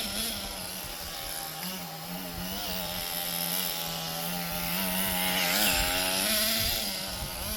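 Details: Restored 20-year-old HPI Nitro Rush Evo nitro buggy after tuning, driving around the garden: high buzzy engine pitch climbing and dropping as it drives, pulling cleanly without misfires; normal running.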